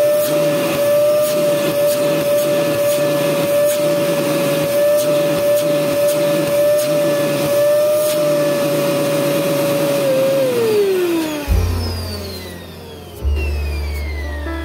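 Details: Home Maker EV-800-S16 vacuum cleaner after its noisy motor's 608Z bearing was replaced; test run gives a steady, even motor whine with no rumble or grinding and a smooth coast-down at switch-off, a healthy motor.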